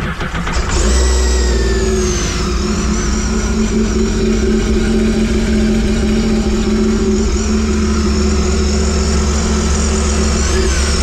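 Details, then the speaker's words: Sea-Doo RXT-X after tune-up with fresh oil, filter and plugs, shorty water box muffler with resonator still fitted: catches and settles into smooth, deep, even drone, muffled exhaust, no rattles or knocks; runs healthy, exhaust very quiet. "know they're still quiet that resonator really makes a big difference I mean to me it's quite is way too quiet way too quiet so"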